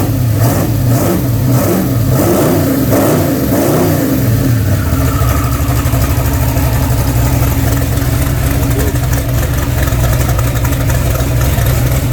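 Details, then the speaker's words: Freshly rebuilt V8 (ARP rod bolts torqued to 90 ft-lb, new ring gaps) on first start: fired almost first rotation, a few throttle blips then even steady idle, no knocks or misses; healthy. "all right well there it is huh 356 is in fired up running time and said everything's good it fired up pretty much first rotation"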